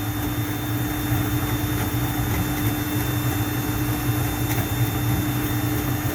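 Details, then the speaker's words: Juma 110 escalator cleaning machine on 45-second auto start cycle, 18 brushes, vacuum connected, water dispensing: steady low rumble, constant motor hum and even brush swish, no knocks or grinding; normal brush cleaning cycle. "So you want to understand and hear the machine, you hear the way the brushes are moving. Notice the lights on when you're dispensing the water."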